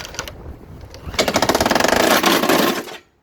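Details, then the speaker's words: 2019 Husqvarna LC 221A AWD lawnmower with a USA-built Briggs & Stratton engine, started cold on a short half pull. It runs with a harsh, shaking rattle and uneven pulses, then quits; bent crankshaft. "Yeah, that's what it sounds like. Pretty bad."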